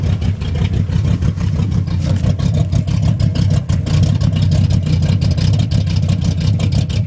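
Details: 1971 Cutlass big-block V8 with new Edelbrock Performer intake, 750 cfm Edelbrock carburetor, JEGS fuel pressure regulator and Spectre free-flow air cleaner settles into a deep, even, lumpy rumble with crisp throttle blips and no knocks or misses; runs strong and healthy.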